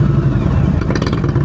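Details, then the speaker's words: Motorcycle twin idling at a stop during slow-speed riding practice; slow, lumpy, uneven thumping with loose clatter; rpm this low means lugging if heard while moving. "You hear that sound? I don't want to hear that sound when you're moving. So if you hear that sound, your RPMs are too low."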